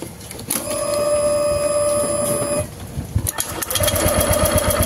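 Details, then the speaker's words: Honda Vario 150 scooter, died with no ignition: starter cranks rhythmically but never catches; spark at the plug very small and intermittent, pointing to weak ignition coil. "nah ini enggak ada apinya nah tapi ini kalau ee kita perhatikan lagi kanan di sini ada apinya tapi kecil ya"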